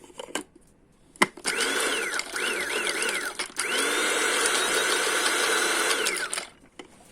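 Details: Mueller 135 W coffee grinder, model MCG-335, test run after replacing a failed thermal fuse. Steady high whir that spins up cleanly and holds an even pitch with no rattle or catching; the motor runs healthy.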